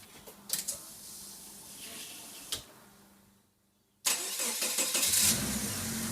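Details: Subaru EA82T turbo flat-four on Megasquirt MS3x, just after new fused ignition and injection relays are wired in: quiet pause, then it catches cleanly and settles into an even, steady idle with no misfire or stumble; normal start and idle.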